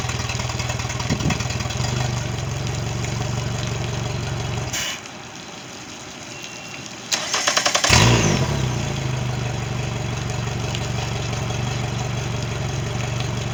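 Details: Mercury 90 hp outboard on a Suntracker after a no-start issue, final running check: steady even low idle burble with a brief quiet gap, then smooth regular beat; normal idle.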